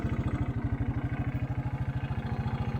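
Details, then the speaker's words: Repaired 1984 Honda 200 Big Red three-wheeler after sitting about 25 years, with a cover still missing: even single-cylinder thump, steady and clean with no knock or miss. Normal idle. "it needs a cover on there could not get one to work at the moment but the motor sounds good"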